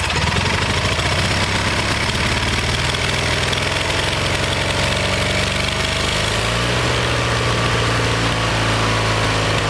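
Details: Kohler Magnum 20 single-cylinder engine, about 40 years old, at operating temperature after carburetor rebuild; mixture screw turned in from about 1.5 turns out. Steady thumping settles slightly higher and smoother around six seconds as mixture leans; runs fairly even. Owner suspects it needs a valve job.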